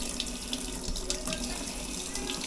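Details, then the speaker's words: Cold water tap on a refitted, previously sunken 2021 Leopard 50 catamaran: smooth, even stream with steady splashing, no sputter or pump surge; good cold water flow. "See if we can get a bunch of hot water running through. Alright, we got good cold water flow through."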